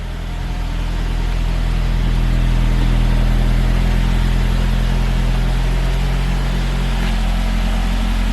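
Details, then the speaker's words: 2003 Saab 9-5 Linear, after PCV fix for oil consumption (about 1 L/100 km), cold start: revs held then easing, loud deep booming exhaust drone far louder than before; rear silencer packing appears to be disintegrating. "Can you hear how much louder it was? But just the box just disinsulating itself?"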